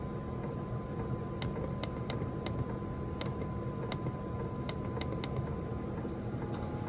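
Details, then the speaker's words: Diesel heater newly installed in a VW T4 van, pump primed, turned up while warming: quiet steady fan hum with a faint constant whine and soft scattered fuel pump ticks, running smoothly at the higher setting. "Sounds like it's warming up at the moment. Yeah, it's getting faster. So you can hear the pump, hear it firing up."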